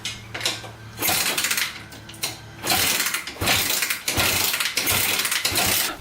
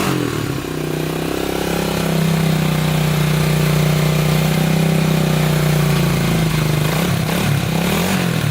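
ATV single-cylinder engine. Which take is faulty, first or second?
first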